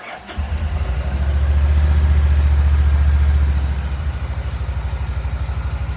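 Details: Kawasaki Vulcan Nomad 1600 fuel-injected V-twin, fuel pump seemingly sorted and all four plug wires (two plugs per cylinder) trimmed and reseated: cranks, catches, revs briefly, then a smooth, even deep pulsing idle.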